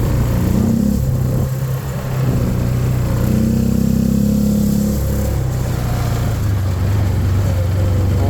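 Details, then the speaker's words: 2013 Arctic Cat Wildcat 1000 side-by-side, a non-runner being revived. Uneven, lopsided putter that wavers as revs rise and fall: running, but running badly. "my God it's running yeah it's running but it's not running good it's uh it was really really bad"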